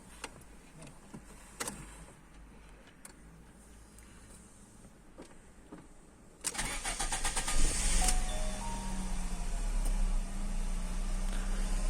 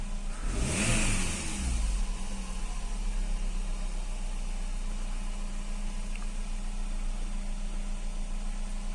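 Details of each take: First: Fiat Stilo station wagon with LPG, after reducer cleaning and antifreeze top-up; brief crank then catches, slightly uneven low-rumble idle, starts a bit reluctantly; cause unknown. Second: Fiat Stilo station wagon with LPG, during LPG reducer cleaning: one quick rev dropping back to a smooth, even idle with no knocks or misses. Owner thinks he hears a noise possibly from the belt.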